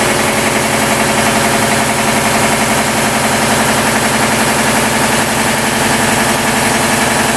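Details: 40-year-old 25hp American Kellogg 462 air compressor before overhaul: heavy, even knocking at about 220 a minute over steady running, worn connecting rod bearings with rod knock on 3 of 4.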